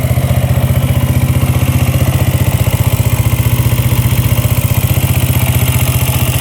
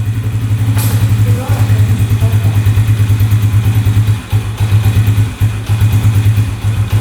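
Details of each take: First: Yamaha Raptor quad after valve clearance check, good compression and spark: steady low thump at about three beats a second, no smoke, no knocking or top-end tapping; normal, settled idle. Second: 2011 Yamaha Raptor 125 quad bought as non-runner (bogging, underpowered, wouldn't idle) after fuel tank unclogged: single-cylinder runs unevenly, stumbles and nearly dies; revs out only with choke on, stalls and won't rev with choke off; cause unconfirmed.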